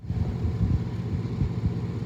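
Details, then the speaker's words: 2000 Chevrolet Tahoe Z71 5.7 L V8, first start after starter replacement; engine catches right away and settles into steady, even low rumble with no grinding or missing beats; normal idle. "James did the work young was just a helper here we go three two one oh my gosh I see Smiles it starts"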